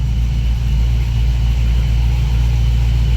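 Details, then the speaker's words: Car after battery removal and reinstall, started up: smooth, steady low idle rumble with no misses, knocks or whine; running normally. "Lu as you can hear she running I don't have no license on to dash yet but I know they coming"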